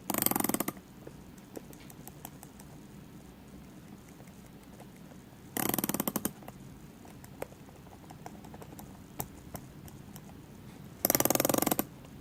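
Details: Tag Heuer Aquaracer Calibre 5 watch, bezel pressed at the 30 mark, the only spot where it happens: three short bursts of fine rapid clicks with scattered single ticks; cause unknown.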